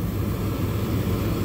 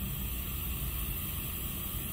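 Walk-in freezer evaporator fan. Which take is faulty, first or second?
second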